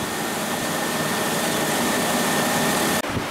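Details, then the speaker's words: 1989 Chevy S10 after A/C delete with new pulley and belt on water pump, power steering and alternator: even steady idle, smooth hum, no squeal, tick or rattle; engine runs healthy. "start it up make sure it works right no tweaks no rattles i think we're good to go"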